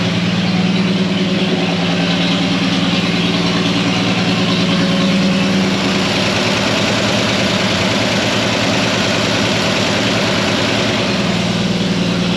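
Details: Antique fire truck's old engine at steady, even idle with a regular low thump, no knocks or misses, just started after a broken cylinder-head bolt was removed. Warming up to purge coolant air, no leaks; sounds healthy.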